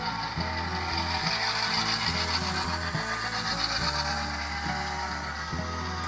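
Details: HO scale Bachmann Sound Value F7B after gearbox and truck replacement, gears greased and bearings oiled: even motor whir with soft, regular gear and rail clicking, no binding or catching, passing the number 4 switches. The old universal joint was cracked. Smooth drive.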